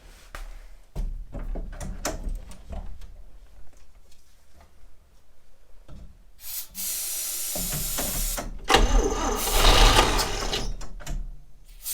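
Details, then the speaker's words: 1960 Chevrolet Step Van on its first start in almost a decade, after new ignition points: a few weak coughs, then loud ragged popping and sputtering that never settles. It backfires, has exhaust leaks and runs very rough. "uh it just backfired all over my hand holy yes okay it wasn't running for that long but i'm gonna pull the valve cover and see if any oil has moved at all because it sounds awful"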